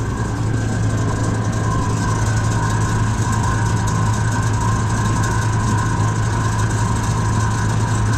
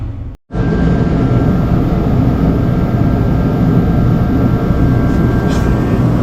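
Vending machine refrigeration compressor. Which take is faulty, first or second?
second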